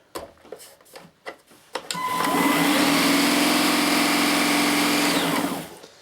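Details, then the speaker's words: Gtech Mk2 AirRam K9 cordless vacuum, discarded unit, tested: a few clicks, then the motor spins up to a steady smooth high whine and winds down; normal motor run. "so right so it seems to work yeah and then there was the does the brush bar go round"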